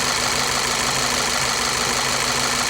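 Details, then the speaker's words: Volkswagen CC with P0300 and scanner-reported misfires in cylinders 3 and 4 after a used-car dealer fitted new spark plugs: rough uneven idle with irregular stumble under a loud hiss; failing ignition coils dropping cylinders 3 and 4. "Yeah, car is not too happy right now. Alright, so the scanner is saying misfire cylinders 3 and 4"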